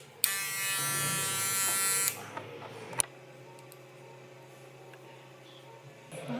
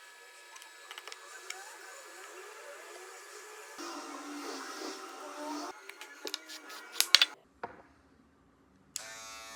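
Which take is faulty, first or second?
first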